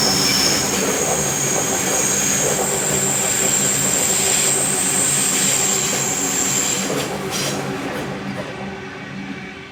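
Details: Train rounding the sharp bend above the tunnel between Waverton and Wollstonecraft stations, North Sydney: high, piercing, steady squeal over the rumble of passing carriages; wheel squeal on a tight curve.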